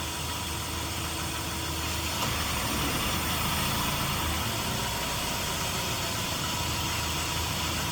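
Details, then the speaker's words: 2001 PT Cruiser at idle with the AC running, during a radiator fan relay voltage test (fan not working on high or low speed): steady idle hum that dips and shifts slightly as the AC load changes the engine. "but you can hear the engine changes I've got the air conditioner running it'll kick in for the highp"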